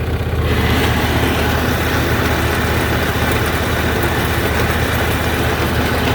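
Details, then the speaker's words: Craftsman YT4000 lawn tractor, rear jacked up, drive pulleys feeding the hydrostatic transmission: steady engine drone gains a rough, uneven rattle once the drive belt engages. Owner suspects shot pulley bearings or a misrouted belt, unconfirmed. "I think the bearings are shot in them, or maybe a belt's not routed properly, because right now I got the brake on so the drive belt's not engaged, but as soon as I engage the drive belt you get this noise."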